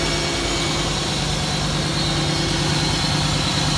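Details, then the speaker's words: 1992 Pontiac Trans Am V8, automatic, first start after sitting about a year and a half: smooth firm even idle, no misfire or knock, slightly loud exhaust, unburned fuel from cranking; normal idle. "unburned fuel in there from a head cranking but sounds good still it's been quite a long time since it ran"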